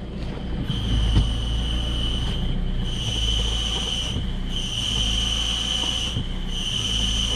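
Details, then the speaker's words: Peugeot/Citroën Berlingo 1.6 HDi diesel at idle: steady high whine near 3 kHz fading and returning with clutch pedal presses, louder when pedal is pressed (unusual); worn clutch release bearing, before clutch replacement. "Là, je te le démarre, il fait pas plus de bruit que ça. Quoi que tu commences à l'entendre. Mais normalement, il siffle. Il siffle en mourir."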